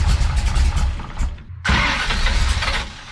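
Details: Big-cam big-block Chevy with a rebuilt Holley 750 double pumper, holes just drilled in the throttle butterflies, carburetor at base settings: cranks, catches briefly, stumbles and nearly dies, then lumpy, uneven running that fades; hard start, won't idle.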